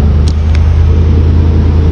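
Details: 2001 Chevy Silverado truck after fuel pump and filter replacement, accelerating. Loud, steady low drone holds evenly with no stumbling or surging; the engine pulls and runs smoothly.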